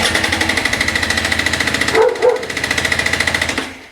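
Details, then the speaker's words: 2024 KTM 300 EXC TBI two-stroke with stock head, 42 hours, compression test with an OTC 5606 gauge and M12 long adapter at about 25 m altitude, throttle closed: even, strong, regular cranking pulses. Reads about 210 psi, healthy. "And I'm getting pretty much exactly 210 psi."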